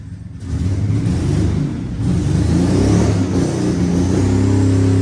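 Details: Chassis-swapped 1965 Mustang, first start in about six months: loud, rough open-exhaust rumble climbing smoothly with each throttle blip, no knocks or misses. Normal revving.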